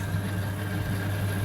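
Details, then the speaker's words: Leslie 910 rotary speaker switched to fast: steady low motor hum with quick, even pulsing as the bottom rotor spins properly, turning the synchronized tremolo. "So we go to fast speed, and that's working, and it's turning the synchronized tremolo."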